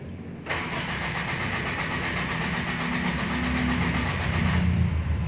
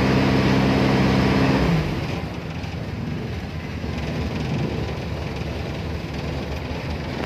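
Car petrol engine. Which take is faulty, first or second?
first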